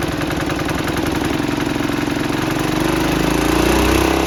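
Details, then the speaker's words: 1968 Sears Suburban 12 diesel after air in the fuel line: harsh rapid chuffing beat climbing slightly, runs but very loud from the open intake without the big air cleaner and bare exhaust. "she runs but oh my goodness is this thing loud it is loud it is very loud"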